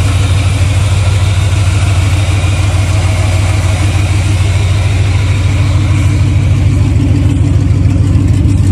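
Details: 1982 Chevy C30 ramp truck, swapped big-block 454 V8 with NV4500 5-speed, on freshly painted headers, open pipes with no muffler: loud deep even rumble, fast steady pulse, no misses, knocks or rattles; running clean.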